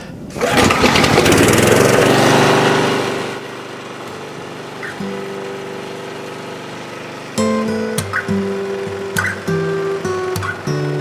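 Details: Rover lawnmower with Briggs & Stratton engine that started hard when warm, after a carburettor overhaul for air leaks with the float bowl tightened to crush its O-ring and stay dry; on the test run it starts and runs strong and even with no surging or sputter.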